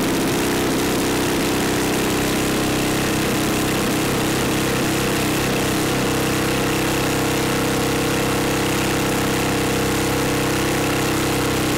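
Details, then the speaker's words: Neglected older Craftsman snowblower, sat years in a shed, leaking fuel, electric start: wavering, uneven beat hunting at about two pulses a second; sounds fuel-starved, carburetor passages possibly gummed, unconfirmed. "all right so now we got an electric start on it let's give it a try and she is starving for fuel"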